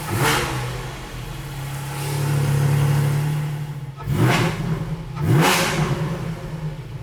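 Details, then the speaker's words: GT4 on a lift with Dundon headers and exhaust fitted and the rear section removed, blipped twice from idle: a coarse raspy edge rides each rev rise, the same rasp as before, and the owner wonders if it's just how it sounds. "i think it's still got the same kinda i don't know i think it's still got the same kind of rasp thing going on there maybe that's just the way it sounds"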